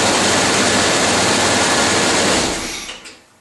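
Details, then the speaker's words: 1995 Chevy Tahoe 5.7 TBI with a no-start, key on after swapping in a replacement fuel pump relay: steady hissing whir for about 2.5 seconds, then a clean cutoff; normal fuel pump prime, bad relay confirmed. "Okay, moment of truth. Here we go, key on. Alright, here's the fuel pump."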